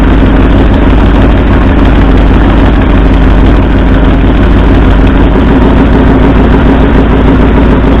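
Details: 1964 Ford F100 V8: lumpy, stumbling idle during plug-wire pull test; driver's side front and second passenger-side cylinders show no RPM drop. Misfire at idle, two cylinders dead, root cause not yet found.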